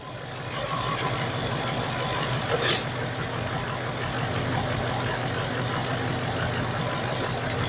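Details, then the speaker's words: Mk2 Triumph Stag V8 with standard twin Zenith Stromberg carbs, idle during tuning: slightly lumpy, uneven beat that smooths as one carb is wound down, other side still reading 6; carburettor imbalance being balanced. "So I'm going to wind that down a little bit. We're about 9. Hopefully you can hear she's gone a little smoother. On this side we're still on 6."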